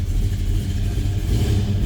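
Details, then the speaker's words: 1969 Chevrolet Nova with a 396 big block, cold start: deep, loud V8 burble picking up cleanly on the throttle with a slight lope from a mild cam; oil pressure up; normal cold-start revving. "Temp gauge, that was a cold start, so I wouldn't expect that to be up. Nice throttle response. Sounds like that big block's got a mild cam to it."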